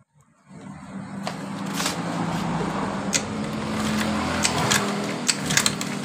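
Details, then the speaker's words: Honda Vario carburetted scooter, dead after an earlier engine rebuild/oversize, running on fuel fed from a bottle bypassing the automatic fuel tap with vacuum hose plugged: steady even idle, runs normally, so the fault is the automatic fuel tap. "motor hidup dengan normal ketika kita lolos begini bensin perhatikan"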